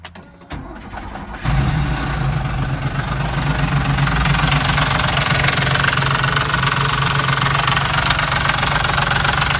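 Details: Porsche engine starts and settles to idle with a loud, steady knock of roughly four a second; engine knocking.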